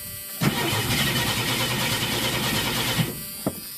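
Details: 1983 Ford LTD: short crank, then engine catches with a roar and settles to a rough, uneven idle; hard cold start needing several accelerator pumps.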